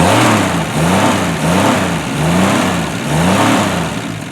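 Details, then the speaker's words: Straight-six that sat 30 years, freed with diesel fuel, with a new water pump, thermostat and gasket and a fresh tune-up, runs with an even, steady exhaust note through flexible-tubing exhaust; revs rise and settle cleanly, smooth and healthy. "but you can hear and see how smooth the engine's running and a lot of people would have a really hard time believing that this engine sat for 30 years"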